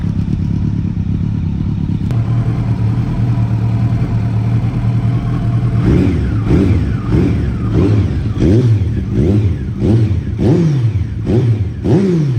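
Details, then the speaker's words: Kawasaki ZX12R motorcycle engine after rebuild, oil warmed up before an oil change: steady low even burble at idle, then quick throttle blips rising and falling cleanly, no knocks or rattles; healthy warm engine. "God, I love that sound. Cannot get enough of it."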